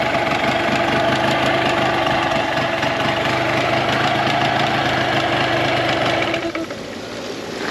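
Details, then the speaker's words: Tohatsu 9.8 long-shaft outboard after maintenance: steady even rapid putter at idle, no misses or knocks, then shuts off; starts right up, no leaks, pumping water well; normal idle. "So the motor starts right up. No leaks, nothing's going on. It's pumping water perfect."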